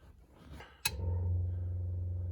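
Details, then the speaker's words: Newly installed auxiliary 6V positive-ground electric fuel pump on a 1938 Chrysler, switched on; a click then a steady, even low hum with no rattle or surging; pump working normally. "You can hear the pump working. Seems to be working."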